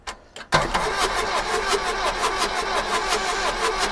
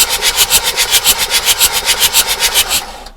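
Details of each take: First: Bedford CF2 diesel van, abandoned barn find, cranking with starting fluid sprayed in: the starter churns evenly for ten seconds and never catches; the injection pump is not injecting any diesel. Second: Abandoned Bedford CF2 van, diesel: steady, fairly even cranking at about three to four compressions a second, then it stops; the engine turns over freely and the oil light goes out as oil pressure comes up.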